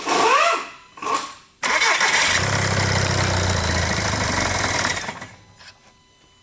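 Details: 2009 Volkswagen Jetta TDI, CBEA common-rail diesel, 232,000 miles: starter chatter, then the engine catches and runs a few seconds before dying; it starts then dies every time, with no codes and not an immobilizer fault.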